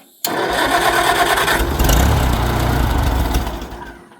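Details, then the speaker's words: Farmall Cub tractor with stuck clutch, no choke rod and not choked, fuel level unknown (may be low or out of gas): uneven chugging turnover about four seconds that never catches, then dies away; cranks but does not start, probably fuel starvation. "It doesn't have a choke rod or anything on it, and that's the thing. You can ask him; he didn't choke it."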